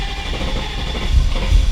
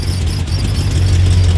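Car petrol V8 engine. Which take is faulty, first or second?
first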